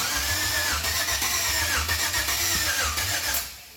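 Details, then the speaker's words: 1992 Chevrolet K1500 with LS-swapped 4.8 V8, first test fire: starter churns about four beats a second, never catches, cranking fading as the battery goes dead; fuel pump not heard, PCM suspected, later traced to an unplugged harness. "It ain't hitting, Terry. Maybe PCM still, I don't know. Try again."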